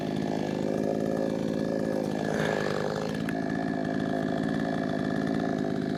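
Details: Brand-new, unbroken-in Wemars 6220 clone chainsaw on shakedown run: high steady buzz dips slightly in pitch biting into wood and recovers cleanly; loud, powerful, revs good; normal chainsaw cutting under load.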